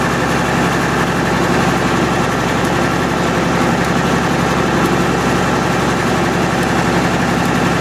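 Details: MEP-006A military 60 kW diesel genset, first run after sitting 3+ years, enclosure doors open, circuit breaker off: steady, even diesel drone, no knocks, misses or surging. Running normally; frequency reading not displaying correctly.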